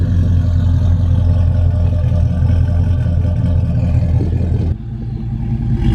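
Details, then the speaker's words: Trailblazer SS V8 with stock cam, after Stainless Works long-tube headers and high-flow cats replaced ticking manifolds: deep, even rumble swelling cleanly with revs then dropping back, cam audible, no ticking; healthy exhaust. "you can hear it even though it's the stock cam you can hear the cam more you can just hear it"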